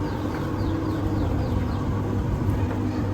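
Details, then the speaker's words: Electrolux tumble dryer after drum bearing replacement: only a low, steady hum and rumble with no squeal, scrape or thumping; the drum turns smoothly and quietly. "The machine is running now. It's very smooth. Super smooth. There's not a single noise."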